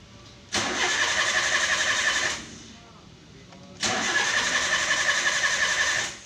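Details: Toyota Avanza EFI, tune-up exercise: two cranking bursts with the starter spinning steadily but the engine never catching and the check-engine light also off. No ignition because the 10 A ignition coil fuse under the steering wheel was missing.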